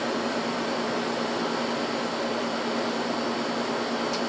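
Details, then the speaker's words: Scrap window AC unit that had lost its R-22, recharged with R-152A: steady low hum under even fan rush, no knocks; blowing cold, compressor sounds fine, condenser coil hot at back, around 110. "so and as you can hear i mean the compressor sounds just fine coil's hot back here"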